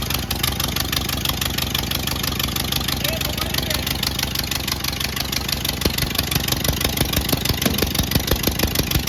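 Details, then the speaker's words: 1928 Ford Model A 201 cid flathead inline-four, first run after 17-18 years stored, choke on, timing locked slightly advanced: even, steady idle with firing pulses about three per second, no misses or knocks; running smoothly. "that's the first time i've ever heard this car run and my grandpa's had this thing my whole life uh i'm so excited right now"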